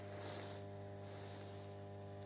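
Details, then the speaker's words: Energized 0.4 kV transformer booth in a forest at night, newly connected line: steady low mains hum with even overtones, no crackle or buzzing; normal. "ривет привет очень прикиньте гуляя ночью в лесу можно сказать слышал аудит представляете уже подключили электричество то мы подойдем трансформаторной будки по нему уже идет ток"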